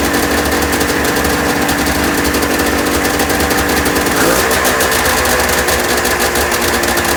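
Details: 1996 Ski-Doo Formula 3 600 two-stroke triple after carb cleaning and synchronization: crisp even buzz, clean rev midway with no stumble or bog; runs well.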